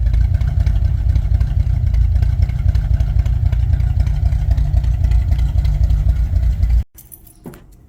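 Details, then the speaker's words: 1964 Ford Thunderbird after freeing stuck valves and a top-end rebuild clearing sludge that had sent oil onto the valve guide seals: it no longer smokes; a deep, even idle for about seven seconds before shutoff. "so I guess our issue was all the sludge in the top end was making the oil run all up onto the valve guide seals and now that that gun's cleared out she runs and idle smooth"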